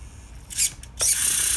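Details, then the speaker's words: RC car steering servo: short high-pitched whirring bursts as it steers, then a strained buzzing hold when turning left, where it gets tough with a very annoying clicking; the servo is failing and is being replaced. "so when I turn to the left it gets tough and it also makes a very very annoying clicking sound"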